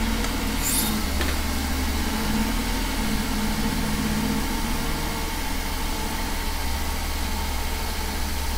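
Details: 2001 Mercedes S600 V12 after ABC valve block replacement and fluid refill, cover off: smooth even idle with steady low hum, no knocks or ticks, no leaks and suspension raised; normal idle.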